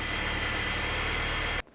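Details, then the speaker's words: 2002 Mini Cooper S R53 after a supercharger fix: smooth, even idle with a faint steady high supercharger whine, then shut off; the earlier weird noise is gone, normal idle. "That is job done, but now let's see if we eliminated the noise we had. That sounds pretty good."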